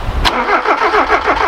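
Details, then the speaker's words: Ford KE TX3 Turbo B6T twin cam manual, crank-no-start. Spark now believed present and earlier lacked fuel. Injectors thought stuck with bad fuel, one leaking. Aerostart about to be tried with a jump pack. Steady cranking about seven beats a second, never catches. Suspected clogged injectors. "we're hoping now that we have spark what we think and the injectors are stuck with shitty fuel so we're just gonna try arrow start and it should go"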